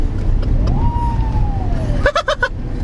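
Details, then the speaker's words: Peugeot 206 HDi diesel with new front-mount intercooler, boost creeping to about 30 psi: whistle rises then drops away, then a quick run of sharp chuffs; something gave way under boost, pipe off or turbo failed suspected. "30 PSI just not that that's that's too much boost oh dear that didn't sound good that sounded really bad"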